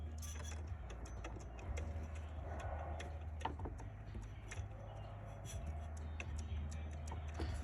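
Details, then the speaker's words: 2009 Honda Accord 2.4L K24Z3 idling with sharp light ticks about three a second over a steady hum from a bad serpentine belt tensioner bearing, which split the drive belt; tensioner to be replaced. "just so you know how a bad pulley or bearing looks like just listen to that one so that tensioner"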